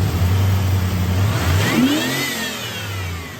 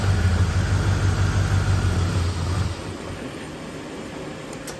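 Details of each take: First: 1989 Pontiac Trans Am GTA 5.7L TPI V8, about 35,000 miles, AC off: restarts and revs smoothly up and back down with no stumble, showing it gets fuel. Yet it stalls in gear with AC on. Normal free rev. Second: 1989 Pontiac Trans Am GTA, 5.7 L 350 TPI V8, about 35,000 miles: starts and idles fine, then drops in speed and stalls within seconds when put in drive or reverse with the air conditioning on; cause unknown.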